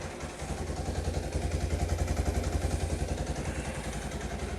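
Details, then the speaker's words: Kawasaki KLT185 three-wheeler pulled from a snowbank after long sitting, first start: steady even single-cylinder putter about 3.5 beats a second, no misses or rattles; idling cleanly. "wow man that is crazy let her sit here and idle for a little bit that's just fantastic"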